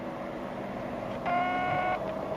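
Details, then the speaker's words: Ham radio 203 amplifier on a 13.8 V supply, with the cheap switch bypassed: a steady high whistle of feedback near 700 Hz lingers after unkeying because the relay inside is sticking and has not switched back to receive. "Feedback, do you hear that feedback? There you go. And that switch has not, that's the relay inside has not switched back."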